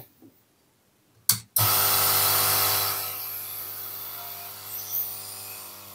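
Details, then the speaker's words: Yihua 968 DA+ III desoldering station air pump running with the case removed: after a click, a steady buzzing hum with airy hiss that settles quieter; loose internal parts and cables resonate, later tie-wrapped to quieten it. "so it's not too bad with the c removed see all these things that just resonate away"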